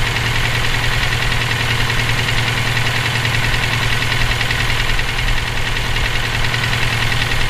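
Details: EJ257 at idle: a fast, somewhat uneven knock runs through the steady idle, present for about 17k miles since purchase; owner asks whether it is rod knock, a spun bearing or valve lash needing adjustment. Source unclear.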